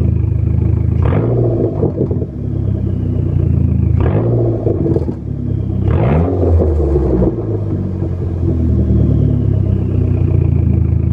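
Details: 2004 SRT-4 Neon petrol engine blipped three times, with a clattering exhaust rattle as revs drop back to about 800 rpm idle; owner likens it to a fan blade stopped by fingers.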